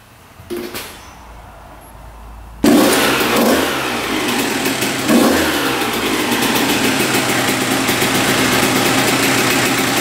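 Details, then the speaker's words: 1993 Honda CR125 two-stroke dirt bike on first start after engine rebuild fixing a misplaced shift fork, carburetor untouched: quiet, then fires and settles into a steady, even, crisp idle with no misses; healthy. "all right she's idling sounds pretty good"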